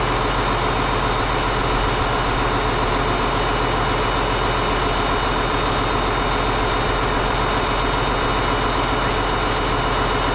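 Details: Caterpillar D8H bulldozer (46A serial, year unknown, No. 28 cable control unit) running after sitting 15+ years, once fuel reached it: deep, steady diesel idle with an even beat and no knocks or misses, running good. Normal diesel idle.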